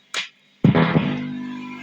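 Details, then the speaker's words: MXR Mini Iso-Brick power supply powering guitar pedals: low steady buzz under the plucked note that lingers as it fades; the supply adds hum on both its higher- and lower-current outputs that wasn't there before. "Now, there's definitely an increased hum in there that was not there before."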